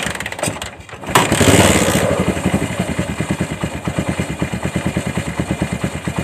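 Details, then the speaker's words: Kawasaki Bajaj CT100 single after new CDI, spark plug, fuel and carb clean, with a homemade cam chain tensioner setup fitted: steady even idle about three beats per second, no chain guide scraping or rattle. "Ayan mga pre, kung narinig nyo, hindi kumakahit yung chain guide, no?"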